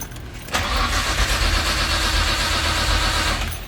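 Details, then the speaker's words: Big-turbo Nissan R33 Skyline 4-door: steady even cranking about three seconds without catching, battery dropping to 9 volts, MAP sensor reading wrong; spark and fuel confirmed, cause found to be a corrupted ECU map file. "although the it sounds okay cranking but it goes down to nine volts while cranking so it's probably"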